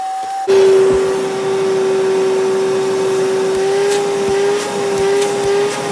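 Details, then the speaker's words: Mini wet vac after repair; it had died while vacuuming drywall dust in 95°F heat, and an overheating, worn heat switch was blamed. With the filter cleaned and refitted, it runs with a steady, even motor whine, sounding normal. "All right, that sounds a whole lot different than it sounded when it took a crap."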